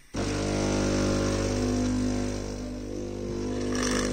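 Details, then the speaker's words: Philips coffee machine (HD847 series) switches on, heats and grinds but no water flows: vibration pump gives a steady, deep electric buzz running against a clogged outlet valve that holds back pressure. "Оказалось, что клапан здесь слишком засорен . Это сдерживает давление. Поэтому оно и не проходит."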